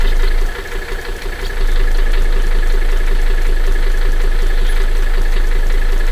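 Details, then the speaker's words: 1984 Mercedes 300D Turbo Diesel, over 329,000 miles, on a recharged battery after a frosty morning; steady, even diesel clatter at idle right after starting, no misses or odd knocks, normal idle. "And there she is. Over 329,000 miles, and starts right up."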